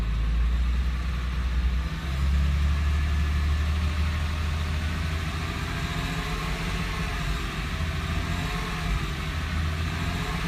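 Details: 2007 Porsche 997 C4S petrol engine at idle: a thin, wavering whine or squeak over the low, steady rumble.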